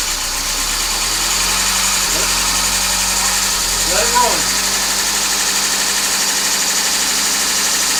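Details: 1994 Honda Civic EX coupe D16Z6, first start after rebuild with remanufactured crank, bored .020 over: steady even idle, smooth hum, no knocks or misses, brief chirp midway; settling in fine.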